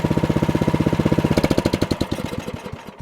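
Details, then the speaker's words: Cub Cadet 3X 30-inch snowblower, after carburetor cleaning of three clogged jets fixed running only on choke: even, rapid putter at low idle, no surging, then beats slow and fade at shutdown; runs beautifully, problem solved. "Done. This Cub Cadet 3X now runs beautifully. Problem solved."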